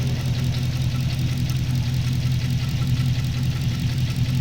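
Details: Holden VE SSV V8, check-engine light and misfire came on suddenly on the freeway, smoky: lumpy idle with an uneven light tick around 160 a minute over the rumble; bent pushrod found on cylinder 7.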